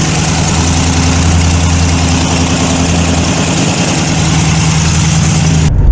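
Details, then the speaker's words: Tuned TVR Chimaera 400 V8, stone-cold start, mic in engine bay: fast light chitty tap ticking over the idle rumble in step with firing; exhaust manifold gasket leaking badly. "so you can hear the uh you can hear the Ticky the Ticky noise the chitty chitty chitty tap tap it's really what it is"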